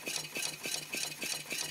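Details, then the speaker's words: New homemade Stirling engine driving a water pump, first run on an alcohol burner: light, even ticking about 3.5 beats a second with thin clatter, running gently; builder suspects the diaphragm stroke needs adjusting or more heat is needed. Low power. "see if it that got a lot of power just needs adjust it I think see the diaphragm doesn't look like it's getting the full"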